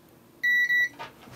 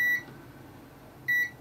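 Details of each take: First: Board under test with a multimeter continuity check, capacitor linked to the M92T36 chip and the P13 IC: two clean high-pitched beeps in a quiet room, the capacitor is shorted to ground. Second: Continuity test of filters in a docking station after a bad USB port, before reassembly: two crisp identical high beeps confirming an unbroken path through the filter; filter good.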